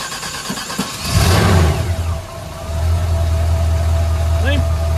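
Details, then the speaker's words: 1989 GMC Sierra C1500 350 V8 junkyard truck, cold start with no choke: brief crank, catches with a rising roar, dips, then settles into a steady low idle; normal cold start and idle. "yeah she's a little cold nature Plus ain't got a choke on it no chokey"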